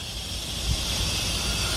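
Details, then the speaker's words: New Western Star truck with Detroit diesel at low idle while lifting weight off the frame to slide the fifth wheel: steady high airy hiss as the air suspension vents to level itself; normal air suspension exhaust hiss. "so what you're hearing now is it actually pulling the truck up and the suspension is adjusting by releasing some air cuz there's not as much weight on the air suspension right now right so that's normal"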